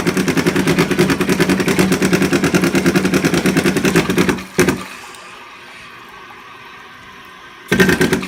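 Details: Toilet about 8 months old, with a fault that began 2 weeks ago, makes a loud rapid rattling knock, about three a second, near the end of the tank fill; it cuts off abruptly, then repeats.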